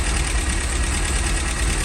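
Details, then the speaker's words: 1969 MGB after oil cooler and hose work, firing more evenly but idling low with a lumpy, loping, rough beat; owner still feels something isn't right and hasn't finished adjusting, cause not yet found. "is it supposed to be that rough I still feel like something's something's not right"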